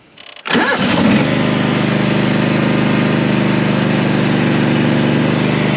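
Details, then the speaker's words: Mower after deck repaired with sheet steel, blades sharpened and new clutch fitted: engine fires after a brief crank and settles into a steady, even run with no knocks or misses; working as it should. "And now the machine is working again as it should be."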